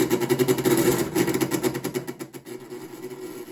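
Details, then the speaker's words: MTD 4.5 21in single-stage two-stroke snowblower, sat a couple of years, electric start after failed pull starts: cranks at about three to four pulses a second, never fires; no fuel heard on priming, plug dry, clogged carburetor jet. "okay so as you can see it's not pull starting um it should have already started if it was in working order um now i'm just gonna try and use the electric start see what happens with that"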